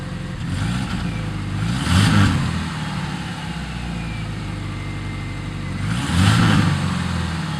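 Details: 1997 Subaru Outback flat-four with UEL headers, otherwise stock exhaust: lumpy idle and two quick revs with a raspy puffing edge; exhaust leak from a header flange at the engine block not tightened properly.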